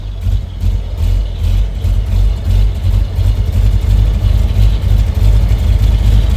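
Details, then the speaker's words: Vintage car's engine just after a cold start, choke pulled out partway to smooth running: low, slightly uneven cold idle that surges a little as throttle is given, settling toward smooth; cold running on choke. "In order to make it run smoothly, the choke can be pulled out a little. That's going to have to be fiddled with, but here we go."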